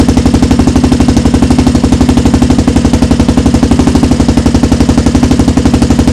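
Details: Rebuilt 400EX single-cylinder quad running: crisp, regular thump at a steady fast idle, about four beats a second, no misses or knocks; running well.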